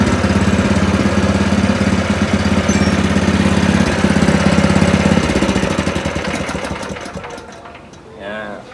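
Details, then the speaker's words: Spice/meat grinder after grinding stone replacement and tightening, previously very noisy: small petrol engine runs steady and even with the grinder, no knock or grinding before winding down; now smooth and quiet, normal running. "ini suaranya sudah halus tidak Berisik tuh searan halus tuh"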